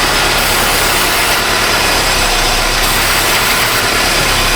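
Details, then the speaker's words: 2018 Honda Civic 2.0 with P0340/P0344 cam codes despite new cam sensors, idling with a loud steady hiss of a vacuum leak at the back of the intake; engine tone changes. "Oh yeah. Oh! We got a vacuum leak. We got a sucker."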